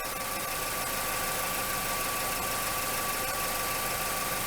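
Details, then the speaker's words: Idling engine with P0420 catalyst efficiency code; tailpipe partly blocked with a damp rag to check for leaks. Steady idle with even exhaust hiss, no puffing or ticking, no exhaust leaks found. "there doesn't seem to be any leaks"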